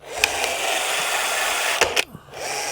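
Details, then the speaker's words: Craftsman V20 CMCE600B cordless caulking gun: motor whirs steadily, then cuts with a soft pop and short falling slide as the rod backs off when trigger released; normal anti-drip rod pullback. "That's the little safety that when you let off, so it doesn't keep squirting out. That's exactly what that is."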